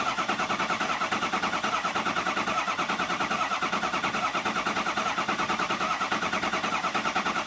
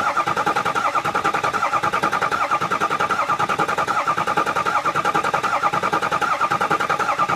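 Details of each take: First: 6.0 Powerstroke diesel after EGR cooler and oil cooler install, cranked in rested bursts to prime: even cranking about once a second, tone changing as base oil pressure builds; normal. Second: Ford 6.0 Powerstroke diesel after EGR cooler and oil cooler install, cranking to prime: steady starter whine with even rhythmic pulse, about 77 per minute; noise present because there is no oil pressure yet.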